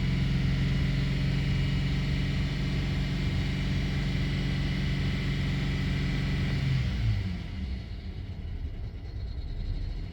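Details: 2008 BMW E90 N53 petrol, 150,687 km: stable 700 rpm idle until revved above 1500 rpm, then drops to a lumpy, rough idle wavering between 500 and 900 rpm, the same whether the engine is cold or warm.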